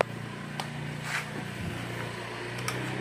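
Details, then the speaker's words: Honda Vario 125 scooter after ECU replacement (old ECU faulted, likely from a wire chafing the body), starting cleanly with no warning indicator and settling into a quiet, steady, even idle with no misses or knocks; normal start and idle. "Hai Nah langsung Jeng Ini Disini indikatornya langsung tidak ada kendala kita Nyalakan kita tunggu panas"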